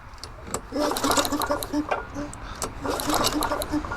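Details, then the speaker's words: Free Craftsman push mower with Tecumseh engine that won't start, spark tester fitted, plug gap about 0.030 inch: sharp crisp snapping ticks in quick bursts with each cord pull, several per second; strong healthy ignition spark. "all right so there's plenty of good spark if nothing else you might have been able to hear it snapping"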